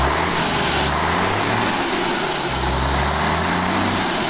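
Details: Mitsubishi Fuso 6D22 truck diesel test-run after rebuild/service, before installation into the chassis. Deep, steady clatter runs evenly with no knocks or misses over a slight hiss; engine sounds healthy.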